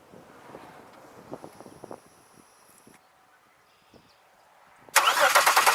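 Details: 2002 Chevy Malibu with a no-start: the starter churns fast and even for a second but it won't fire; crank no start, with fuel pressure and spark or coil under suspicion.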